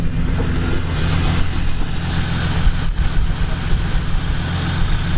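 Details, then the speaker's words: Car with oil and coolant levels fine, engine light later on, cause unknown; uneven lumpy idle with low irregular knock. Rough idle with knocking. "that's weird. It's just a weird rough idle. I don't know if you can hear it. I can hear it knocking, but it's just idling rough."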